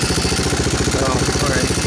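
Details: 2002 Yamaha Warrior 350 ATV after fitting a new DG muffler, oil checked: even, deep, throatier single-cylinder idle with a steady beat and no misses or knocks, some smoke burning off the exhaust; normal idle.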